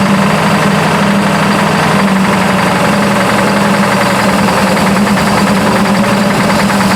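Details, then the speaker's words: Burnt Buick engine at idle, 42 psi oil pressure: steady idle with a fast, even light knock tracking engine speed, newly developed, owner unsure if lifter or rod; cause is the valve cover contacting a rocker arm. "well she's got a knock I don't know if that's lifter knock or if that's a a rod knock or anything but she does have a knock of some kind that just developed"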